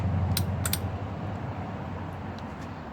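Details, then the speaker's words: Second-battery isolator solenoid, triggered by an ignition relay, linking starter battery and lithium iron phosphate house battery; a few sharp clicks over a low steady hum as the solenoid pulls in cleanly. "so here we have the solenoid hooked up this is how the starter battery and the house battery would be hooked up with the solenoid so if we had engaged it we'll hear the solenoid click"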